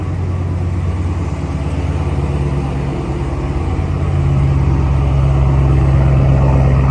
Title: Why New Hellcat not from NIL money 💴 makes a weird noise with remote start